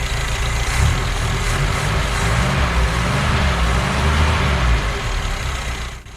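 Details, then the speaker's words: BMW 2002 with M10 engine, sitting 13+ years, running on gas poured in with old tank fuel: low even idle with a steady beat, fading as it shuts off; healthy, no knocks. "and it seems to be running because a little bit of gas i poured in there should just about be gone by now but it keeps on keeping on"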